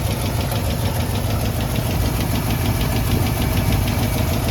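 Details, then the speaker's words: AMC 327 V8 in a Jeep, cold, idling after new exhaust manifold gaskets made it quieter. A low, dull knock is in time with the engine and heaviest at the oil pan. Earlier it misfired; valve covers and pushrods checked fine. Owner suspects a main bearing. "That one down there is pretty tight, but you can hear it knocking."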